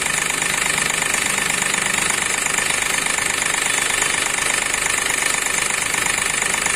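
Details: Accident-damaged Hyundai Xcent with a broken intake manifold, code P0193 fuel rail pressure sensor circuit high, stalls after 10-15 minutes: idle with a steady hard knock about three a second, from a cut rail pressure sensor wire.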